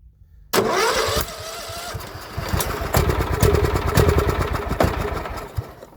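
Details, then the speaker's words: John Deere L110 lawn tractor that sat 3 years: starter churns in uneven, sagging bursts with occasional catch and pop, flames from intake, fuel leaking from unclamped line; cranking slows as battery dies. "There goes our battery. She's shooting flames out the intake. We really need to get that crank speed up."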